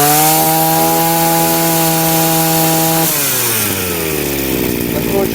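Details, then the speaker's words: Chinese two-stroke brushcutter with the carburetor nozzle deliberately turned half a turn off its setting: a high steady buzz for three seconds, then it sags and bogs as revs fall; lean mixture, choking and lacking power. "So, the brushcutter is choking, it doesn't have enough power."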